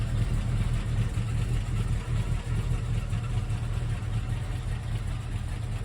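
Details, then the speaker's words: 1971 Mercury Comet GT V8, roller cam: rough uneven chug and loud clacking at idle, down on power; failed roller lifters, possibly bad cam. "I think it has collapsed lifters, possibly a bad cam. It's not flat tappet, it's roller, but it's running bad, it's chugging, it's down on power, and it clacks really bad."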